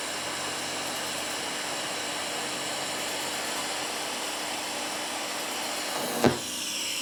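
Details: Firstess (Yeswelder) DP200 in lift TIG mode, 125 amps on 1/8 in plate, manual shield gas valve: steady soft hiss with a faint high buzz and one brief crackle near the end; TIG arc burning stable and normal.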